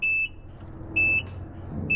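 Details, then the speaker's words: Peterbilt truck on its first start after a cab refit, with fuel added to the rebuilt tanks and shop air plugged in so there is no low air. Three short high-pitched beeps about once a second over a quiet diesel idle; dash buzzer sounding, cause unknown. "buzzer got that don't know if it's meant to do that or not but that's what this one's doing"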